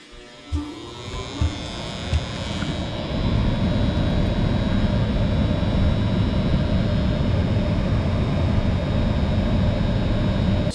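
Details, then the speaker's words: Home HVAC heater at start-up: a few clicks, then a loud steady low electrical buzz swells and holds as the heat kicks on; quieter than usual; capacitor or contactor suspected, not confirmed. "I don't know if you can hear that, but there is just a horrible buzzing sound. And it's actually much quieter than it usually is here."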